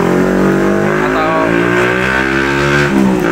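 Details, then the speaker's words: Suzuki Smash motorcycle that starts hard when cold: engine holding loud, steady high revs because the carburettor idle/throttle stop setting has worked loose; a weak ignition coil was also found. "nah di sektor ini setelan gas atau setelan langsam ini ternyata itu udah kendor ah agak kendor gitu jadi ketika digas kencang RPM tinggi itu dia mau muutar sendiri"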